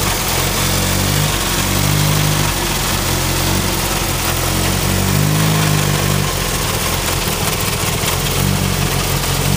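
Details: Turbo Ford Focus idling after new coil pack installed: uneven, lumpy idle with wavering beat and occasional stumbles, also misses under boost; plug wires or cylinder 2 fuel injector suspected, not confirmed.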